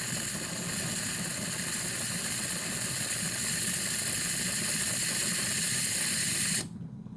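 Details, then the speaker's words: Pressure King Pro electric pressure cooker with the timer still at 30 builds pressure. A steady loud hiss of steam vents from the top, then cuts off abruptly as the float valve pops up and seals. This is normal venting before the seal. "Still 30, but as you can see, it's starting to blow steam out of there. Now that will just suddenly pop up and stop the steam coming out of it, but you're not going to get burnt."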